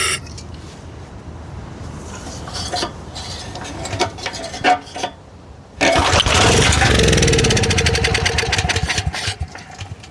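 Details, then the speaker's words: Storm Responder generator, Briggs 10 HP engine with new Honda-clone power head, checking another outlet with breaker on at higher rpm: small single catches after a few pulls and runs at a steady fast beat, sounds good, but no power output. "H engine sounded good, but I did not see any power."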